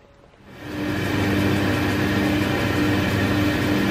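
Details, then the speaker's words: Schaublin lathe (70 or 102) with roller front bearing, after machining the rear bearing cover to set spindle axial play: steady, quiet whir with faint even motor hum from the drive cabinet below, no rumble or grinding; spindle extremely quiet and healthy. "here's the spindle running, and actually any noise that you can hear is actually coming from the fabricated steel cabinet, the drive unit in the bottom. It's just the noise of the motor. So the spindle is extremely quiet."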